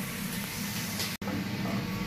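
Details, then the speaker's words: Restaurant drain line upstream of the grease trap, after a K1500 punched through the blockage: steady rushing water with a bubbly, uneven gurgle as air gulps past the remaining partial grease blockage, still to be jetted clean. "All right, so you hear that gurgling noise? That is a sign of a drain blockage."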